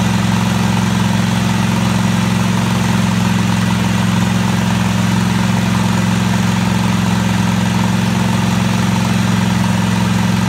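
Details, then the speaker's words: Craftsman DGT 6000 small single engine starting after reassembly with a new fuel line and the fuel pump fitted: steady, even low putter with a smooth rhythm and no knocks or misses; normal running. "alright took a little while but it finally fire it up"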